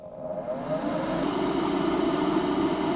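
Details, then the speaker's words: DC12V ventilation fan in a kei-car camper at strong airflow, after its box was filled with insulation to cut resonance. A steady loud whir with a mid-pitch hum, unchanged at 70dB, so the noise comes from the fan itself. "Luồng khí "mạnh" không đổi ở mức 70dB."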